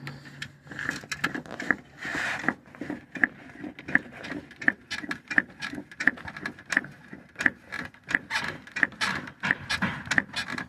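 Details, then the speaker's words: Toyota Sienna front strut: sharp little ticks, about one and a half a second, as the strut mount bolt moves with the body rocked, from a worn bushing under the bolt; also heard while driving. "¿Escuchan ese pequeño tic tic tic tic que hace? Okay. El buje que lleva esta abajo de este tornillo, el buje que está ahí abajo, ya está desgastado, ya no sirve."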